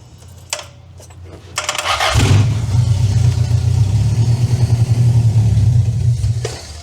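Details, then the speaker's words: 2-liter engine newly installed in a van, first start after sitting about 18 years, old oil: catches after brief crank, then runs with an uneven, lumpy low beat that never settles; rough running needing tuning, cause unconfirmed. "This motor hasn't ran in, he said, about 18 years. So far, that's pretty good. So I think there is a lot of fine tuning that needs to be done to this thing."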